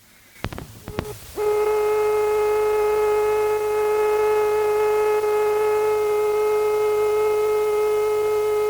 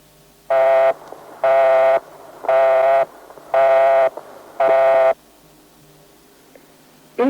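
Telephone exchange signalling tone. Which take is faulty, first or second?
second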